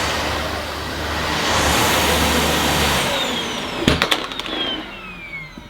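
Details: Dyson Ball Animal Multifloor vacuum on carpet at an easier setting: smooth even motor and brush hum for about three seconds before switch-off, no labouring or cutting out; normal brush roll running.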